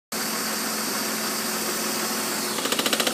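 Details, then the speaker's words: 1997 BMW 528i E39 at idle with AC on: steady hissy idle with an intermittent quick rattle of three or four taps a second; owner notes it also rattles at startup, cause unknown. Intermittent engine rattle. "there it is now the ac is on and it's making some kind of rattling sound every now and then not sure what it is"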